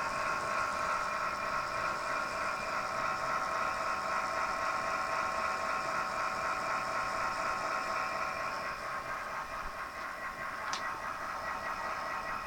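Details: Zalman power supply (PSU) making a strange noise: steady whirring drone with a faint quick flutter, about four pulses a second; cause not clear.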